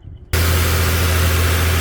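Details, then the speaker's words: 2013 Nissan Frontier 4.0 V6 after serpentine belt and tensioner replacement: engine starts and settles into a low, steady idle, the previous belt squeak gone. "And there we have it. No more squeak squeak squeak squeak squeak."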